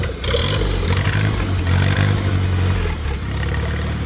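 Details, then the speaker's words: Small tractor at auction, in neutral: low, even beat rises smoothly when revved and settles back with no misses or knocks; sounds good. "Sounds good. Sounds good. Re up a little."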